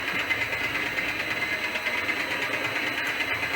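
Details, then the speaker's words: Elliot 14S machine on first power-up after restoration, drive at 50 Hz, gearbox gear greasing unclear: hissy, clattering mechanical run with a steady pulse around one and a half beats a second; surging, cause unclear. "Anyway, we'll start it off again. You can listen to it. It's pulsing as well."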